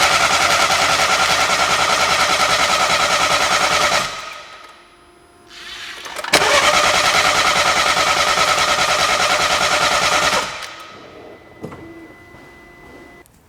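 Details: BMW with prior parts changed at dealership and independent shop, spark present but lacking high fuel pressure, alternative fuel introduced into cylinders: two spells of even starter cranking, about three turns a second, never catching; cranks but will not start, cause unconfirmed.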